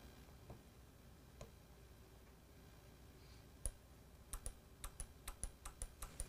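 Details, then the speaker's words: EGR/EVAP solenoid on the bench, hooked to power and ground and driven by a LAUNCH sensor/actuator simulator: sharp, evenly spaced on-off clicks over a quiet room; the solenoid is cycling and actuating normally. "hear the clicking? That's the EGR valve going on and off."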